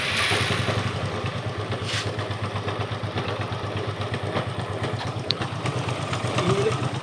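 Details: Hero Glamour motorcycle single idling with a loose, uneven rattle over the beat, easing as the throttle opens and louder when riding; worn bearing on the clutch side.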